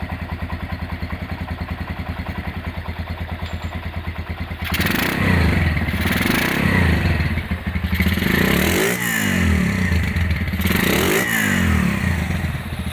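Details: Restored Honda GL100 engine (year uncertain, possibly 2000–2002), rebuilt with Aspira GL Max Neotech piston, CDI ignition, valve clearance 0.10: quick even single-cylinder putter at idle, then clean throttle rises and falls, no knocks or ticks; healthy engine.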